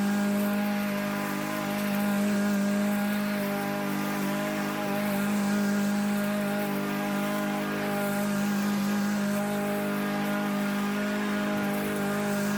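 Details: Troy-Bilt TB110 mower with a Briggs & Stratton engine that sat for months and then quit: a smooth, even drone at steady pitch with no misses, surges or knocking. Running healthily.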